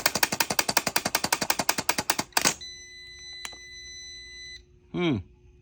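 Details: 2020 Ram 3500 6.7L Cummins starter on constant 12 V jumper: rapid clicks about eight per second for two seconds as the plunger pops in and out; owner suspects a bad, sticking solenoid.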